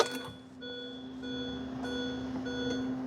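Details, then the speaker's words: 2005 Mini Cooper with crank-no-start, after fuel pump assembly replacement, key on: steady even hum with faint high whine through the key-on; new fuel pump priming normally, car then starts. "well the pump is supposed to run now when I turn the key on"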